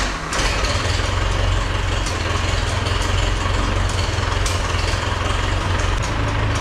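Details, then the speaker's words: 1971 International Farmall 544 tractor, started in garage without choke after new plugs, wires, 12-volt coil, distributor cap and carburetor adjustment: deep steady low idle rumble without misses or knocks; normal idle, may need slight idle adjustment. "sounds good I'm not sure if I'll need to adjust the idle just a little bit um but other than that uh I think that's good"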